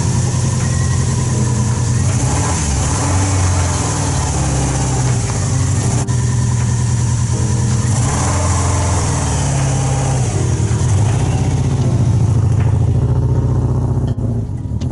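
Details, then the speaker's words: Peugeot 206 rally build with 2003 Subaru Impreza WRX drivetrain, thermostat removed, first drive onto trailer before tuning: low, lumpy idle with uneven pulses and rev blips, sounding like three cylinders; misfire, running poorly, suspected, not confirmed. "it was awesome to see the car driving for the first time well technically third time even if the engine is running poorly it should sound amazing once we get the ej2"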